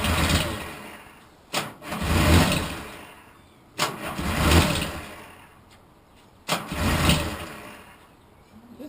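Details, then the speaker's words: Restored T160 on a start attempt after 37 years: three separate brief cranking bursts with no firing at all; no-start caused by the kill switch left off. "I know what the problem is how about this it's the [ __ ] kill switch"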